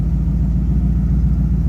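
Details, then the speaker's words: Silver Ferrari 250 GT California SWB replica (Modena Classic Design, built 2004): deep, steady low rumble with an even pulse and no misses or ticks; a very even, smooth, healthy idle. "I hope you can hear the motor idle's very even, very"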